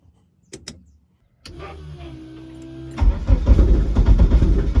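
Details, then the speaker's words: Eagle Talon engine on a DIYAutoTune MegaSquirt ECU, fixed timing at 10°: steady cranking turns into ragged, uneven chuffs that never catch. No-start because the ECU keeps losing crank-signal sync. "Let's see how that goes. Still just desyncing."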